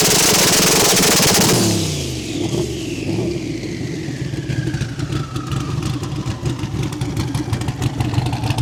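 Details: Turbo car on launch control, revving to about 6,000 RPM to build boost before a 4,500 RPM launch target, ignition timing tuned for spool: revs sweep up, then hold one steady pitch with rapid regular crackle and pops; normal launch-control rev limiting.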